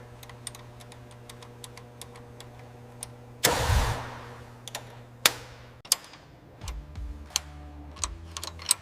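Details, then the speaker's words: Freshly rebuilt air-cooled flat six in a restored 1974 Porsche 911 Carrera 2.7 RS, idling after its first start. Smooth, even low hum with light steady tapping, no misses or knocks. Normal idle; cylinders working together, no leaks. "The flat six breathes on its own once more. We listen for anything out of place. Each cylinder now works together."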